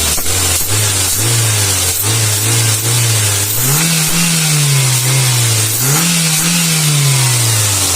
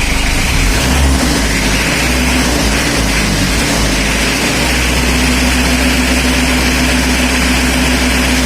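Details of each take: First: Toyota Avanza after TPS sensor adjustment: the engine blips up and settles back cleanly several times, with a smooth, even note, no misses and crisp throttle response. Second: Mitsubishi L300 diesel before injection pump setting, revved: loud, dull, ragged note with a harsh crackle rather than a crisp one. Rough running from a misadjusted injection pump.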